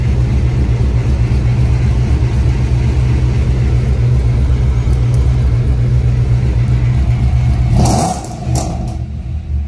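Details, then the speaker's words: Audi with a 4.2 V8, all-wheel drive and a performance exhaust, started in a cold garage. A loud, deep idle with an uneven stumbling beat shows a steady misfire, stated to be on cylinder one. "you can hear the misfire it's on cylinder one"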